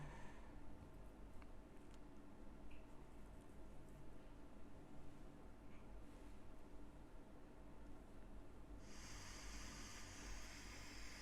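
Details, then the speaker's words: Redmi 9 phone microphone recording in silence: constant hiss and low hum instead of a flat line; microphone already replaced, fault traced on the board to the CPU. "essa onda aqui era para ser um era para ser uma linha reta e não ter onda nenhuma enquanto não tivesse som então não tem som e mesmo assim ele tá gravando parece que uma série de ruídos"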